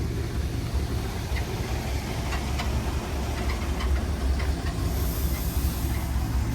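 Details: 1964 Buick Riviera with what is thought to be a 425 Wildcat V8, about 96,000 on the odometer, being driven: a deep, even rumble with road noise on top, pulling smoothly with no knocks or misfires; a squeak noted, temperature gauge not working; normal running.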